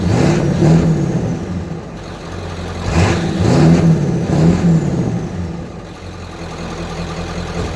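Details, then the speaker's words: 1995 Ford F250 7.3 Powerstroke diesel, about 180,000 miles, stock and untuned, Royal Purple oil: deep clatter rises cleanly with each throttle blip and settles back to idle, no smoke; healthy and strong. "all around a great running truck no smoke when you start it nothing like that"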